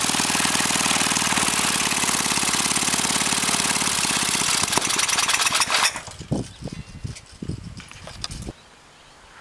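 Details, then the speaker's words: Briggs & Stratton 5 HP engine with no carburetor, fed propane (LPG) from a barbecue grill tank through a hand-adjusted valve; on the pull cord it catches into rapid, fairly even firing for about four seconds, then fades out, proving it runs on propane. "well now I know the engine runs and even more importantly that it will run on propane"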